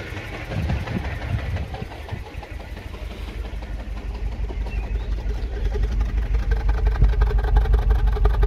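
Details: 2007 Mini One 1.4 petrol, 6-speed, idling, recorded at the exhaust tailpipe: uneven puffs with irregular stumble around 170 per minute; misfire, owner suspects mixture running a bit rich, unconfirmed.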